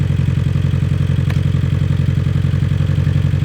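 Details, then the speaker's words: Abarth 500/595/695 petrol engine idling lumpy and uneven with a steady off-beat chuff, one cylinder dead. Unplugging cylinder three's coil gave no change in tone, so the misfire is in cylinder three. "no change there. So, there was no change on cylinder three. So, we know there is an issue with this cylinder."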